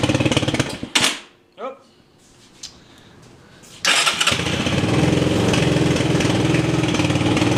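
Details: TaoTao 250cc ATV, cold near freezing and still needing choke, after a new CDI, coil, regulator and plug (the real fault was the ignition wires): after a few cranks it fires into an uneven idle with a light, regular tick. Engine ticking, valvetrain suspected.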